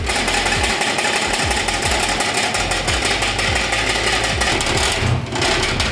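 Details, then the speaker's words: 1965 Ford Mustang, cold, loud uneven quick mechanical clatter over rough idle, getting quieter as it warms; engine rattle, source not pinned down. "now you can hear it already it's getting quieter still a little bit of rattling"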